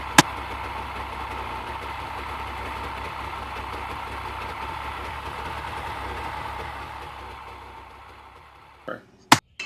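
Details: Previously submerged Yamaha Wave Venture personal watercraft with a new starter and reattached exhaust: steady two-stroke burble holds even for about eight seconds, then fades, with no misfire or knock.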